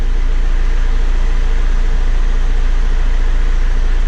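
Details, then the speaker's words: John Deere 6410 tractor after fixing the forward/reverse lever switch that beeped in forward or reverse: even, rapid diesel rumble with no beeping or buzzing; runs normally, lever alarm quiet. "We'll see if she runs. No more buzzing."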